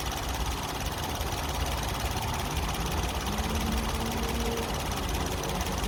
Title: Rough idle of a Nissan pixo #nissanpixo #roughidle